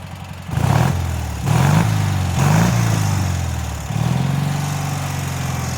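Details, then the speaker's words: Cub Cadet 782 with Kohler single-cylinder engine, after a carb cleanout of rust and a swap from mechanical to pulse fuel pump, mowing heavy grass with a beat-up 50-inch deck: steady drone dips briefly and recovers, never slows, plenty of power. "so that was some pretty heavy stuff and I just kind of blew through it I wasn't trying to go for quality of cut I wasn't trying to knock it down that engine just does not slow down it's got plenty of power"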